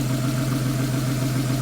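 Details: Porsche 911 after new belt tensioner and serpentine belt: even, steady idle with no chirp, squeal or bearing whine from the crank, water pump, alternator, power steering or AC pulleys, so the belt drive sounds healthy.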